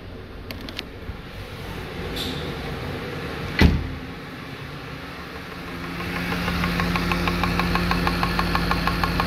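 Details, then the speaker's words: Car at about 243,000 km on LPG, arriving with a lean-mixture error: engine settles into sharp drum-like ticking about three per second; one gas injector, jammed tightly between engine and airbox base, resonates, audible even inside the car. "tutaj to są one specyficznie głośno cykają i ten tutaj który jest ściśnięty w tym miejscu opiera się tak ciasno między silnikiem a tą podstawą filtra powietrza powodując takich jak i rezonans pracują jak bęben"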